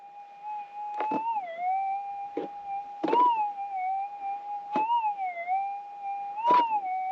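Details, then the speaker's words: Minelab GPX 6000 metal detector in manual sensitivity, seven clicks, with threshold on: a steady threshold hum bends up and wavers at each pass about every two seconds, giving a clear, distinct target response. "much better target in my opinion i prefer run with a threshold on at all times"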